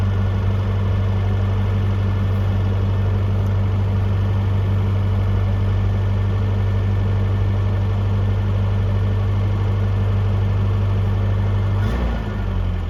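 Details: 1982 Toyota SR5 4x4 pickup after fixing crank-then-cut-off problem (carburetor rebuilt earlier; owner thinks emissions control computer box was the cause): deep, steady, even idle with low rumble, no stumbling or dying; pretty smooth, throttle nudged up and down.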